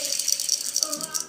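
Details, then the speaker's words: Sipp drill press quill bearing, spun by hand after quill disassembly: dry, gritty rattle of a rough, worn bearing; quill may not run true; owner suspects a large scored groove on the inner race, not confirmed. "I think the problem is that large scored groove on the inner race. I think that's where my problem is."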